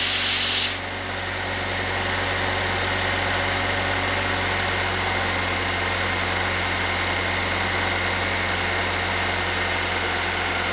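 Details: Pontiac Solstice after replacing its noisy A/C compressor: a brief hiss, then a smooth idle under a steady hum from the new compressor, with no grinding or clatter.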